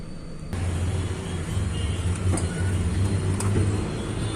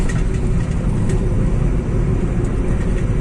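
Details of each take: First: Volkswagen Polo 1.2 MPI with low pickup and jerking in gear: low idle hum stumbling unevenly as cylinder 2 misfires; ignition coil or its wire suspected, spark plugs worn. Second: Volkswagen Polo 1.2 MPI after repair of cylinder 2 misfire (parts and engine oil changed): steady low engine drone pulling smoothly under load on the road, no stumbles or jerks; pickup now normal.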